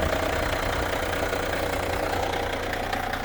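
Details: Ford Mondeo Mk3 diesel idling with a dull, uneven knock about two or three times a second under the clatter. The owner suspects early symptoms of a worn dual-mass flywheel, with noises changing as the clutch pedal is pressed and released; unconfirmed.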